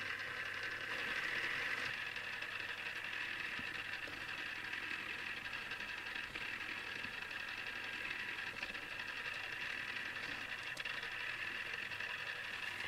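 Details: Newly assembled Tamiya Display Turntable (black), on its first test spin: thin, steady high whir with fine, uneven gear chatter throughout; noisy plastic gear train that the owner dislikes and may fix.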